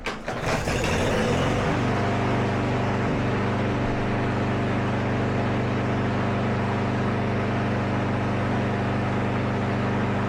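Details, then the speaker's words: Briggs & Stratton-engined Craftsman push mower after cleaning plastic carburetor to cure surging: runs at even, steady speed with no rise and fall in pitch — steady running, no surge. "All right, absolutely dialed."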